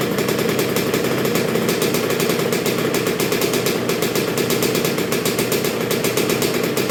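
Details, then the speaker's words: 1986 Honda CR125R two-stroke, new .060-over Wiseco top end, during break-in heat cycles with Keihin PJ carburetor: crisp, even idle with steady quick beat, sounding bored out, no knocks or rattles; runs cleanly. "so far so good it's sounding really good it's real crisp um sounds like it's bored out sounds like everything's working really good"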